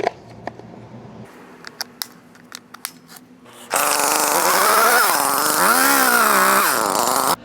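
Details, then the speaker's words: Echo CS-310 chainsaw after carburetor replacement, new fuel lines, gaskets, primer bulb and throttle adjustment, previously hard starting and bogging; fires into high steady buzz, revs up and down cleanly, then cuts off; normal running. "This chainsaw is back to running perfectly."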